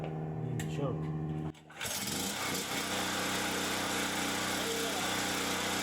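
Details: Champion 3500 W generator after carburettor cleaning, having sat all summer with old gas and run only on full choke; fires after short pull, smooth even drone without choke, no surging or hunting; normal idle.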